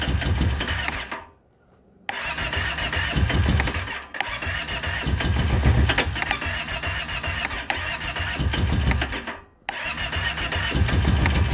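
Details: 2012 Kawasaki Brute Force 650i ATV cranked with choke closed: starter churns in bursts with short pauses, no catch or firing, crank no start.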